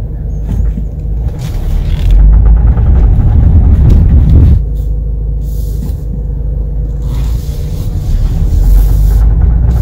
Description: In this video I have a great example of what a clicking or popping CV axle sounds like when making turns while accelerating.